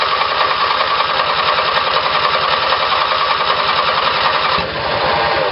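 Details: Small twin-cylinder Briggs & Stratton engine on a battery-powered ignition, with two GM LS2 coils triggered by a failed magneto's primary winding: a fast, even firing pulse with no misses or stumbles; it runs cleanly.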